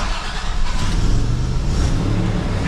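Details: Old Toyota pickup, after fitting taller wheels and tires: engine runs with rough, uneven low puffing from an exhaust leak.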